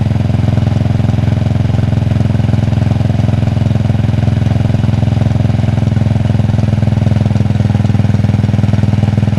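Fast regular clicking, about three per second, riding on a lumpy cold idle; a tick from the primary side, cause unclear.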